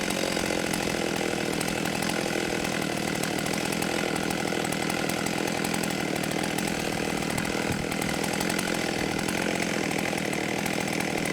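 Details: 1989 Husqvarna 50 chainsaw, sat years with old gas, after carb clean and tune-up: steady, high, even two-stroke buzz held over ten seconds with no stumbling or surging; running clean and tuned.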